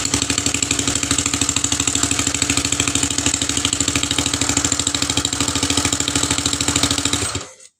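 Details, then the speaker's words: Rebuilt Honda CB150 engine idling in the chassis before the cylinder head cover is fitted, checking oil circulation; sharp rhythmic puffs like a leaking exhaust from the open secondary air valve, plus loud tappety clatter. "Tadi ada suara yang kurang enak itu tadi, kayak semacam knalpot bocor. Itu dari sini teman-teman. Nih, dari katup low emisi ini."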